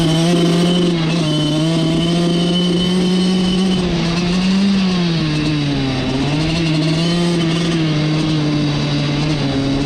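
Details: Suzuki RM85 two-stroke dirt bike after wheelie attempts: the note wavers and drops in pitch under throttle instead of climbing cleanly, so it bogs; the owner suspects the carb, but the cause is unclear.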